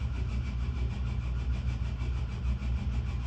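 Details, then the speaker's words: Inline pipe exhaust fan: rough, pulsing low hum from motor bearings that are worn out and getting steadily worse. "the bearing is getting worse there you go yep the bearings are terrible"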